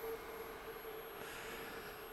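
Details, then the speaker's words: Drok 800W DC boost converter (10–65V in, 12–120V out), failed module set to 120V output at 1A: at 15V input the output reaches only 110V and a thin steady whine with a faint high squeal appears under load; cause not found. "Khi tôi lên 15, đầu ra là 110 vôn, tôi có thể nghe thấy một số tiếng ồn"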